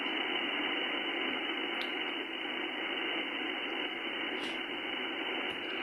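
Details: HF receiver with all shack earthing disconnected while the antenna is rotated through different directions: steady hiss fills the voice band at an even level around S5 to S7, barely changing with direction; interference source still unknown.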